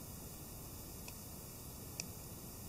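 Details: Cheap Bei Nuo Chinese quartz watch: faint single clicks about once a second over quiet room hiss; movement ticking normally.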